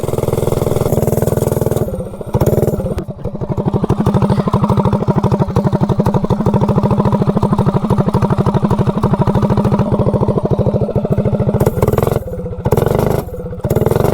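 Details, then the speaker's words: Generic 16-tooth 3/4-inch shaft centrifugal clutch on Predator 224-powered GTS minibike: pulling away, engine note comes in rapid jerky pulses as the clutch bites unevenly; grabby, choppy chatter, possibly needing break-in. "you can hear it when you get on it how it grabs I mean it grabs but it's kind of choppy"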